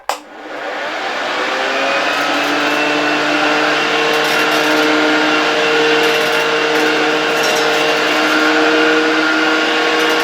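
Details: 1972 Hoover 1346A vacuum cleaner, fully reassembled and test-run in the workshop without a dust bag: the motor spins up quickly to an even, steady high whir with a faint hum, and it runs normally.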